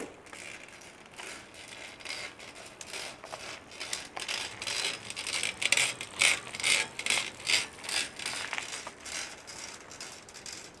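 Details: Shimano XT M8110 12-speed Micro Spline rear hub, fairly new: sharp dry creaks about twice a second with each pedal push, the freehub body creaking.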